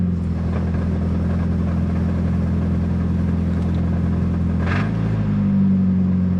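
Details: 1990 Nissan 240SX on cold start, idling with a steady low rumble and a faint rapid knock underneath; cause was a loose flywheel, which loosened the transmission until it locked up.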